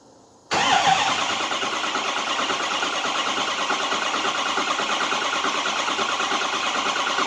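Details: 2005 Ford 6.0 Powerstroke diesel with both batteries boosted, not fully charged: starter spins the engine with an even, fast churning rhythm that never catches. Crank, no start, cause not confirmed.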